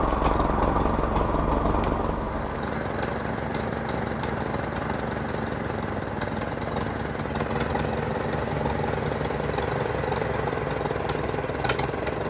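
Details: 1942 Farmall Model H petrol/paraffin tractor with single front wheel, restored long ago then left standing for many years, on its first start in years; the old four-cylinder idles with a slow, steady chuffing of about three beats a second outdoors. Normal idle.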